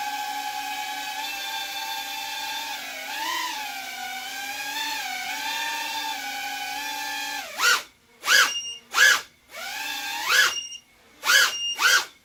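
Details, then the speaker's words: Freshly built Libero 2.5 FPV quad on a nearly dead pack, stored at 3.8 V. Steady motor whine, then throttle punches with high beeps: the low-battery warning as the pack sags. "You can hear it beep when I punch the throttle. Battery's dead."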